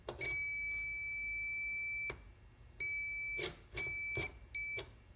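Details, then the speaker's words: Riding mower brake-pedal safety switch unplugged and checked on a tester with a full battery: long steady beep, cutout, then broken short beeps as the plunger is pressed; switch works only intermittently, and removing it let the mower start. "the key on this plunger is supposed to come down so the carburetor can get gas and when these things go bad they stay in there closed position"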